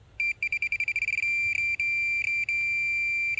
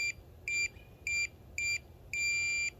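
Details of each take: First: Minelab Pro-Find pinpointer held over a screw: high-pitched beeping in quick, stuttering intermittent bursts rather than a constant tone, signalling a ferrous target; non-ferrous targets such as a gold ring give a continuous tone. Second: Minelab Pro-Find pinpointer on a 9V battery, minus sensitivity button pressed: four short high beeps, then one longer tone. This sets minimum sensitivity; five plus presses give maximum.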